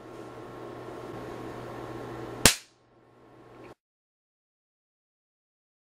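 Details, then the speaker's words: Hioki DT4252 multimeter (gas discharge tube primary protection) under transient testing, battery pack removed: sharp crack over steady hum as something inside breaks down and arcs on every transient applied; meter still 100% functional afterward, no damage. "something is definitely breaking down you can hear it arcing it's done it for every transient that I've applied"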